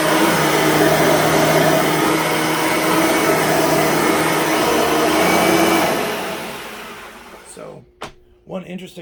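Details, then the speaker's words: Bissell/Singer 3510 9-amp upright vacuum, somewhat worn, after a new belt and a fresh empty bag, which makes it louder; even loud whirring with steady airflow rush, then smooth spin-down at switch-off, normal running. "they're actually much quieter when the bag is full because the full bag acts as a form of sound dampening not so when the bag is empty when you first use this thing with an empty bag it is a screamer"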